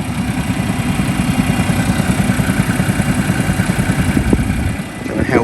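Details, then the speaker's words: 2020 Seat Leon FR Estate 1.5 TSI petrol: a steady knock of about three per second over the idle, noticed when it drops into two-cylinder eco mode. The owner likens it to a bottom-end knock; the source is unconfirmed. "there's this horrible knocking noise if you can hear this"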